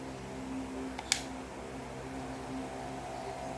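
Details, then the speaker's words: Hair clipper running after its blades were realigned and tightened: low, steady motor hum with even tones and no rattle or buzzing; the noise is much reduced and the clipper runs quietly. "I still have some moist because that's normal with but it's not as noisy as a while ago did you notice so I think now it's much more better cashews and it's not that annoying anymore"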